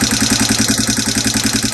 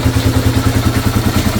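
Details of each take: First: 2002 Yamaha TTR225 single-cylinder, brought home with tapping: idle with quick light metallic tick each firing pulse, about ten a second; suspected valve tapping from loose clearance, not confirmed. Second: 2002 Yamaha TTR225 after a valve adjustment to cure its top-end tapping: a steady single-cylinder thump of about seven beats a second, even and clean with no tapping; running healthy.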